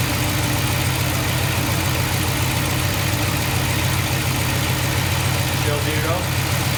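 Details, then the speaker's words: K5 Blazer first runs after restoration, coolant temp about 145. It is restarted after a loose spark plug was fixed and now holds a steady, even low idle with no puffing or ticking; normal idle. "let's start it again make sure that uh noise went away I think it was just that one loose spark plug and uh see what the idle is going to do"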